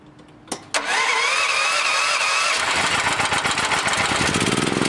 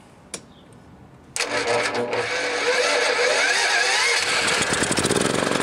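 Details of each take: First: Welding generator fitted with a new dual-fuel LPG/NG carburetor for a Honda GX390 188F, running on gasoline, idle screw adjusted with a screwdriver: cranks and catches quickly, then settles into an even idle of about four pulses a second; normal idle. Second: Generator bought new years ago and used for welding, unused about 3 years, battery charger attached, electric start; starts first try, then speed wanders and pulses unsteadily instead of holding governed speed; engine surging before a dual-fuel LPG/NG carburetor swap.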